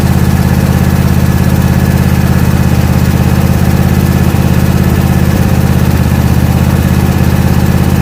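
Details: John Deere E180 mower single-cylinder, warm engine just after first oil change at 31.5 hours, running to check for leaks: steady even low thump about 200 beats per minute, no misses or knocks; healthy.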